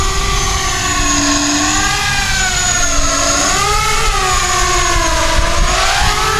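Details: ArduCopter 6-inch race quad in alt hold, climbing and descending so motor RPM sweeps through the frame resonant frequency for an FFT log: motor whine swoops with throttle, buzzing harder in one pitch band, frame resonance.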